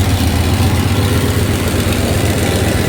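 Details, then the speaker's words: 1993 Dodge Ram D150 with Magnum 5.9 360 V8, EGR hole blocked with inverted EGR, exhaust opening left unplugged: loud rough idle with uneven low chuffing two to three times a second; engine otherwise sounds good, exhaust leak noise. "Se oye bien la máquina, chatos. Nada más ese ruido del escape es todo"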